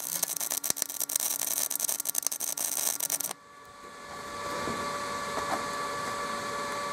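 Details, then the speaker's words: MIG welding with a Binzel-style gun after replacing the wire liner, same settings, machine and wire: steady crisp crackle with no sputter or stutter, smooth arc despite a big gap and poor fit-up. "that that was a very big gift and a really poor fit up the machine didn't miss a beat it wasn't a liner issue this time"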